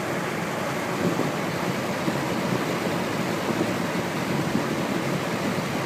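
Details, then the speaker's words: Rex Air Controls window fan with a new 1/4 hp two-speed Emerson motor, belt-driven, spherical bearings shimmed with rubber gasket strips. On high: steady even rushing air over a smooth motor hum, no knocks or rubbing; normal running. "But yeah, I'm really happy with this fan now."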